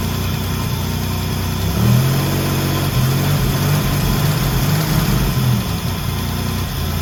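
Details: First start of the 1984 Grand National after the engine rebuild (rebuilt 140 block, fresh cam), coolant just filled: steady, even V6 idle with one brief rise in revs that settles back smoothly, no knocks or misses; engine healthy.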